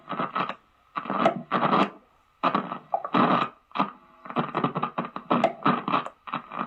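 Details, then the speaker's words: Electric guitar on a distorted amp channel: harsh bursts of crackle and hiss cut in and out as the volume knob is turned, from a dirty volume pot. "Hi, today we are going to look at how to fix crackly pots for your electric guitar. So on a distorted channel, you might get a lot of this noise."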